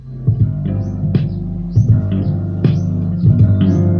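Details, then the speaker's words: Kit-built amplifier after fixing DC offset from a poorly connected TIP41C: loud, bass-heavy music plays cleanly with no hum underneath. "Tuh kan? Gak ada dengung sama sekali guys. Ini digedein sedikit aja volumenya, suaranya udah war gitu. Kenceng banget."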